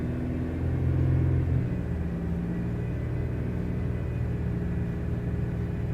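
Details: Engine revs briefly then settles into an uneven, lumpy idle with a stumbling low beat, sounding like it is missing on a cylinder: engine misfire.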